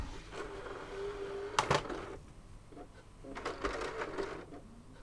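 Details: PS3 Slim with HDMI display fault, game disc inserted: faint whirr, sharp mechanical clicks and second tray movement, disc never spins up; drive not loading because the disc drive cable was disconnected.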